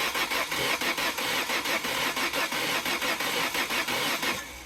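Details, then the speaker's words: Petrol engine cranking slowly with rhythmic compression chugs but never firing, spark plug wires on; compression present but no start. "cuz I just showed you I have the wires on so this is compression but no"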